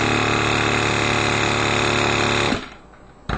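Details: Reynolds Handi-Vac hand vacuum pump on freezer bag, retried with zipper closed: small pump hums steadily with high whine, pitch changing then cutting off as the bag pulls down quickly; sealer working, normal pitch change at full vacuum.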